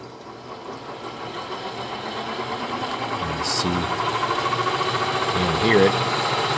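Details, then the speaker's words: Electric BMW 320E conversion with a Scott Drive controller and Siemens motor, after a bad pin in the Siemens connector was fixed: quiet hum with a faint whine rising smoothly as the motor spins up, though in reverse direction; normal spin-up. "finally got the Scott drive connected and turning the motor turned out it was a bad pin in this Siemens connector but now at least it spins up smoothly"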